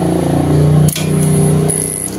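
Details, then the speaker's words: Honda CB150R with LED headlight, key on: fuel pump hums continuously and fuel keeps flowing instead of priming and stopping; in this case the ECM was found faulty (possible causes: bad pump, shorted pump wiring, ECM). "ini nah ini bensinnya mengucur terus menerus ya Mas ya eah dan full P ini kedengaran dengung"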